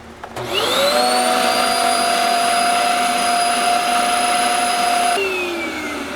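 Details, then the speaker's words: Shark Euro Pro vacuum given as non-working: motor whine climbs to a steady high pitch and winds down at switch-off; weak suction from a blockage in the hose and wand. "still does not appear to have a lot of vacuum it's got a detachable handle here see how much vacuum we get from this"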